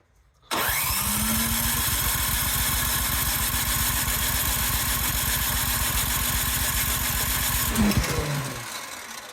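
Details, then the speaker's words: Cub Cadet 528 snowblower, electric start, primed with choke on. The starter churns steadily for eight seconds without catching; the carburettor had earlier been found to have a stuck float needle and a plugged emulsion-tube jet. "All right, give it a few more primers. Maybe too much choke. Is it flooded?"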